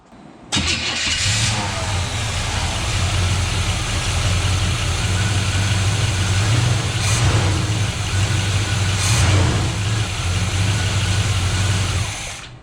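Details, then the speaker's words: 1981 Chevrolet C10 shortbed: brief crank, quick catch, then even, clean idle with no velcro noise; timing close, though zero oil pressure is reported, suspected debris in a fitting. "it's got to be better and runs good no velcro noise timing seems pretty close to where it needs to be"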